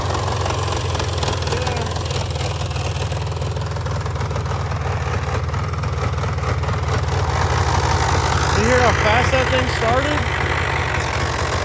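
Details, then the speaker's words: Polaris Trail Boss 350 single-cylinder, electric start just after battery hookup: starts fast, then an even regular idle thump with no misfires or rattles; normal idle. "started listen to that it's impressive now it's time for the fun part of getting this little strap on there"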